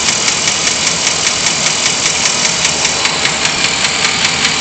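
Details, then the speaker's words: Chevy 454 V8 at operating temperature after a freeway run: fast, even ticking at about 150 per minute, valvetrain-like; owner suspects lifters, but source is hard to pin down. "It's truly hard to tell exactly where it's coming from."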